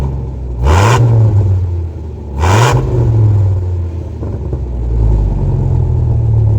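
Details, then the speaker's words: Second-gen Dodge Ram V10 pickup after dual exhaust install: two quick revs rise and fall cleanly, then settle into a deep, even idle burble; solid exhaust with no rasp or leak, normal exhaust note. "Well, we got our dual exhaust done. Sounded pretty good as you just heard. I mean, for a V10."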